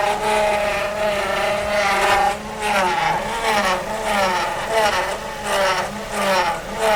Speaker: А почему происходит такой эффект? Из-за наличия воздуха в жидкости гидроусилителя.